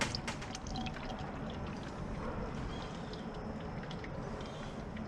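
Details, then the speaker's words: 2009 BMW 328i after radiator replacement and coolant leak, refilling about a gallon of coolant: steady pouring and gurgling with bubbling drips as trapped air burps out of the cooling system. "so we should be getting pretty close once we get a full gallon in this thing. Just doing a lot of burping"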